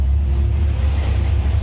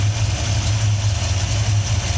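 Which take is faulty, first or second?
second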